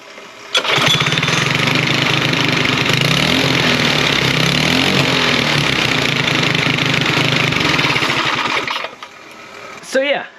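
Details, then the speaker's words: LO206 race engine fitted to a mini bike: it runs and idles fine on choke, but off choke it runs unevenly, won't rev up, then cuts out, suggesting it needs more fuel. The jets and valve spacing are still to be checked. "it runs great on the choke uh and then idle's fine and everything uh when it's not on the choke uh but then won't rev up at all"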